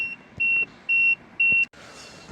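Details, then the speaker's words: Peugeot 3008 after a battery replacement, engine not running: four even high-pitched warning beeps, handbrake warnings, mileage and gear display gone; the BSI has shut down, with a battery fuse found giving no power to the fuse box. "It's beeping, it's hella annoying. See that stayed, that warning stayed on."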